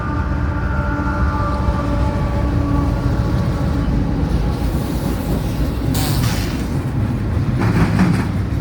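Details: CSX I010 intermodal train at Deshler OH led by ES44AC CSX 927 and ES44DC CSX 5433: heavy diesel rumble passing with a wavering whistle-like tone over it; unusual engine noise, cause unknown.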